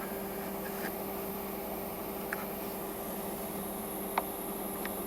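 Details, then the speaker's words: Mercury Grand Marquis climate control with HVAC modes switched by vacuum: faint steady hiss over low engine idle when selector moved from defrost to floor, vacuum decaying slightly; leak internal to the control head; heater switches to defrost going uphill. "You guys can hear that slight hiss. I'll put it back in defrost and that hissing should stop."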